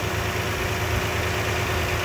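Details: 2008–2010 Toyota Highlander Hybrid V6 with timing belt, at idle: smooth steady low rumble with no perceptible ticking, knocks or ticks; normal idle.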